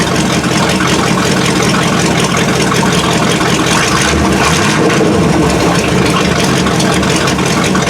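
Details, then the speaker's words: 1979 Chevy K20 V8, first start after winter storage on fresh fuel with a weak battery: lumpy, stumbling high idle that runs choppy and dies off throttle. Manual choke is not hooked up. Owner suspects poor fuel flow, the inline filter or sticking floats. "it was running real choppy at first as soon as i let off the gas it would die but granted this is a manual choke"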